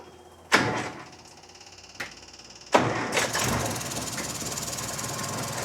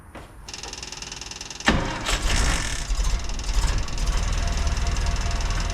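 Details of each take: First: 1956 Land Rover Series 1 109 started after gasket and bolts refitted: hissing, puffing exhaust leak at the flange joint, a gap in the gasket shown by paper test; later fixed with muffler cement. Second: 1956 Land Rover Series 1 109 after sealing the exhaust flange with muffler cement because a lip stopped the gasket sealing: starts and settles into a steady, deep, much quieter idle with no hissing exhaust leak.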